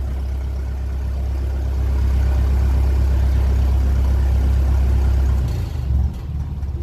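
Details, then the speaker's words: 1957 Ferguson 35 TVO tractor after valve clearance reset and offending push rod removed: steady low chug rising slightly with more throttle, no tappet tapping left, warming up; normal idle. "Bit more rev. It's warming up. Stay sounding like that. We're sorted."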